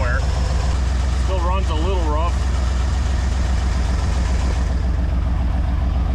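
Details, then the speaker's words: 1969 Ford Galaxie XL convertible V8 idling with bad exhaust; a low uneven loping idle that never settles, rough from a vacuum leak. An unconnected vacuum line is found, and reconnecting it makes it run better. "definitely needs exhaust exhaust is horrible I hear a vacuum leag"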